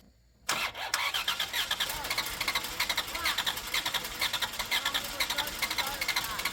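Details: 1993 Plymouth Grand Voyager SE, parked 18 years, with a replaced fuel pump and a pressure regulator suspected of not passing fuel: steady starter churn at about two compression pulses a second, but it never fires. Low compression was later suspected.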